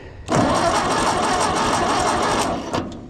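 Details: Ford 8N tractor with a generator system and a possibly weak battery: strong, even cranking for two seconds without catching, then it stops; the engine turns over fine but does not fire (no spark).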